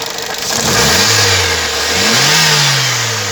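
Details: Maruti Eeco petrol/CNG engine revved up and back twice, with a hissy, rattly edge over the revs. Abnormal engine noise, cause not yet identified.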